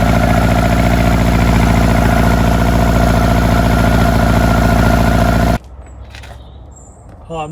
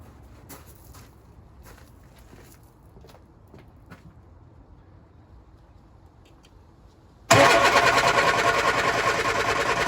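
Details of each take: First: Lotus Elan finally running after earlier failed starts that the owner thinks flooded it: a steady, regular idle pulse for about five seconds before cutting off, with no misfire. Normal running. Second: Lotus Elan cold start after sitting over a week, on a damp morning with choke pulled and throttle pumped: scattered ticks, then steady cranking that never fires. Owner suspects fuel not reaching the engine, a known problem; cranks, no start.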